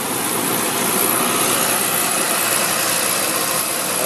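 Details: Beckett oil burner, one-pipe system, pump pressure about 140 psi on gauges, before the supply vacuum is cut back. A steady, even flame roar with a smooth hiss and no pulsing or rumble. Clean, normal firing.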